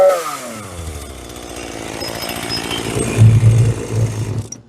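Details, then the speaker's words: Free roadside Hitachi CS33EB chainsaw, first start on the previous owner's old fuel at half choke: the two-stroke buzz catches, revs up cleanly, holds a few seconds, then cuts off. It runs normally. "You gotta be kidding me. It actually works. I can't believe that actually runs. I was not expecting it."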